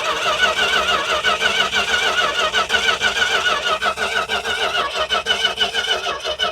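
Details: Dodge truck, possibly weak battery, gas in a plastic tank, fuel line off the pump to check pump output: steady starter cranking at about three beats a second with no firing; cranking, not starting, while testing the fuel supply.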